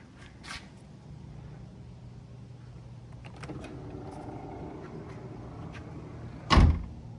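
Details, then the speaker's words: 2015 BMW 4 Series Gran Coupe after replacing the trunk latch assembly (51247840617) since the electronic latching had stopped working: low steady motor hum for several seconds ending in one firm thunk; closes smoothly, sounds better than before. "still sounds better than before here we go"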